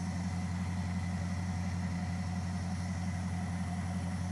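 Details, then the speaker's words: V8 in a Dodge Charger crew-cab build idling with an even, steady deep pulse. The earlier misfire is totally gone, with some smoke that might be residual Seafoam. "You hear it, dude? No misfire, nothing. Hold on. It's gone."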